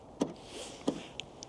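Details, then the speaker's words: Tesla Model 3 won't charge: two short motor whirs with a small clunk about two-thirds of a second apart as the charge port latch cycles but never locks; car displays "charge port latch not engaged", recurring issue. "on my model 3 and it then comes on there and this is what it says on the charge board latch not engaged"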